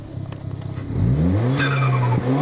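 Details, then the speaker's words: Vortex V2 first run in months, outdoors warming up: lumpy, not very loud tick-over, then clean pitch rise on a throttle blip with turbo whoosh and quick even return; normal free rev. "That is ticking over rather nicely. Not very loud. Let's give the loud pedal a bit of a press."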